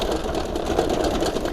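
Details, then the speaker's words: Electric bicycle battery pack loose in its mount with gaps around it, shaken by hand: fast, dense plastic knocking heard over bumps and potholes, to be fixed by packing rubber sheet or foam into the gaps. "เห็นนะครับว่าเสียงมันเกิดจากแบตเตอรี่ครับแต่ตารี่มันขยับได้นะครับมีช่องว่างระหว่างแบตครับเวลาลงหลุมลงเนินครับ"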